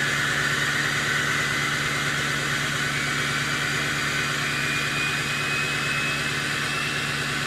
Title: 6.0 high idle and turbo whistle.